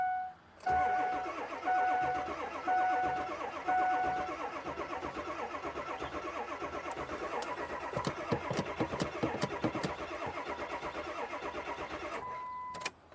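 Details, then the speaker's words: 2003 Ford F350 7.3L diesel with an intermittent crank no-start, said to be worse when hot. Warning chimes, then about eight seconds of rhythmic cranking that never catches as the battery weakens. Fuel starvation. "Okay, it doesn't want to start. Battery is gonna get weak."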